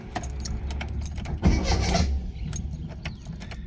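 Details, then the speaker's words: Ford Escort MK3 GLE, runs horribly, temp gauge reads full and fan on full at ignition: slow labored cranking that sags and drags unevenly; starter barely works, owner suspects electrical fault, not battery. "The cranking issue isn't from the um battery. I think it's something else. Something electrical."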